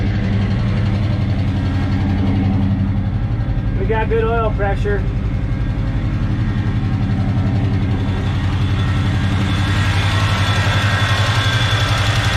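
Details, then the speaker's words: 1970 Chevrolet K10 with a 396 big block from a 1971 Chevelle, first start after fuel tank cleaned (bad gas still in line); lumpy big-cam idle with a light fast tick about three per second, owner unsure if exhaust leak or lifter: ticking at idle. "i can't tell if that ticking noise is an exhaust leak or about liquor capping"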